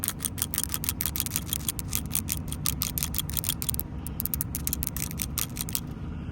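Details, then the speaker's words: New PCV ball valve for a 2007 Dodge 4.7 V8 with intermittent idle surge, shaken by hand: crisp light clicks about four a second as the ball moves freely. The old valve rattles less, and owner suspects it is clogged with burnt oil. "Both of these are ball valves, and they got to flow freely in order to relieve pressure from the block, right? So, this is what a new one sounds like."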